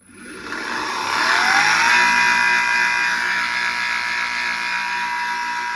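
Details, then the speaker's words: PPA Brutalle 3.0 JetFlex industrial sliding gate motor spins up with a whining rise, then runs with a rough, rattly hum and steady whine, a noise attributed to worn motor bearings. "Nesse vídeo nós vamos aprender a resolver este barulho no motor."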